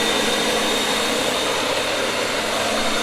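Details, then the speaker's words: 1970s Coachmen Leprechaun motorhome engine, fuel bowls primed with gas and 2-stroke oil, now running smoothly with a steady even roar and constant high whistle, no misses; about 30 psi oil pressure, it just needed fuel. "Yeah, so not too much involved, just needed gas, I think. Just needed to be bottle fed for a second there."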